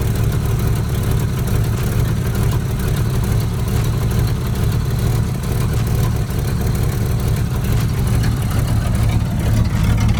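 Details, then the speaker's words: 1985 Mustang T-top V8, stock motor with 750 carb and new Performer intake, cold idle: deep, loud idle with an uneven loping beat of about two pulses a second; the owner is unsure whether the cam is stock. Small exhaust leak noted. "I don't know if it is a stock cam because I do have a little cam action with this car."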